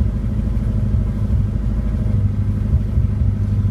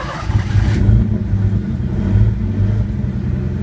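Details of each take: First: Engine on a Pandoo EFI-4 programmable injection with an untuned base map, throttle held to keep it from stalling: a low, lumpy idle with small uneven dips, just above stalling. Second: Engine on Pandoo EFI-4 programmable injection, started cold on a base map: catches and revs up and down smoothly, steady low drone with no misses or knocks; running cleanly.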